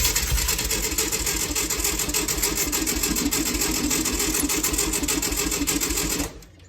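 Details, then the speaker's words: 1965 VW Beetle, long garage-stored: even starter chugging at about three to four beats a second that never fires, and no fuel is drawn into the filter. Cranking, no start: fuel pump not delivering. "we've we've cranked it over quite a bit and ran it for a bit off of gas in the carb and it's still not pulling anything into the filter"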